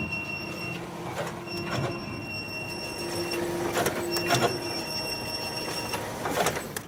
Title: FS-527 Loud noise. Konica Minolta